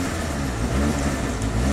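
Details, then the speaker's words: 2010 Chevy HHR 2.2L Ecotec that starts and stalls, eight codes including MAF faults: engine stumbling and surging, only kept alive briefly by throttle blips before dying. "i can keep it alive with the gas kind of nope"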